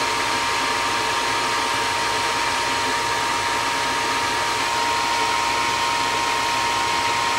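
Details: Gas furnace above a carport after repair (worn hot surface igniter replaced with a new one reading 70 ohms): steady rushing airflow with faint constant hum, no rattles or surging; heating normally.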